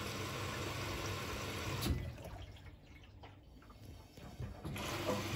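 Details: Bosch Serie 4 washing machine after start and door lock: steady hiss of water rushing into the drum, easing off midway then returning, no knocks or buzzing; normal water fill.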